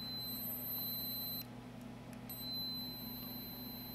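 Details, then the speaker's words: HP OmniBook 420/425 laptop board, logic probe on the CPU read/write line after a reset: a steady, unbroken high tone with one brief dropout. No bus activity, although the CPU warms and all voltages are present. "nothing there's absolutely no bus activity from this cpu at all and it gets warm and i have all my voltages"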